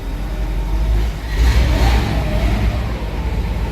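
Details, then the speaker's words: 1963 Chevrolet Impala SS convertible with automatic transmission, engine started easily and running with quiet exhaust: a deep, even V8 rumble that swells smoothly when revved and settles back with no knocks or misses; a healthy idle and rev. "Here the engine, like I said, runs smoothly. No crazy exhaust or anything like that to it."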